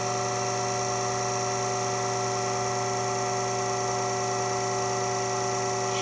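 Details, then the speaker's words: Becker VT 4.16 vacuum pump, made 2016, about two years of shop use, after cleaning: steady even hum with constant tone, no knocks, rattles or surging; runs smoothly, pressure stabilizing near 20–25. "Sounds like she's running okay so far."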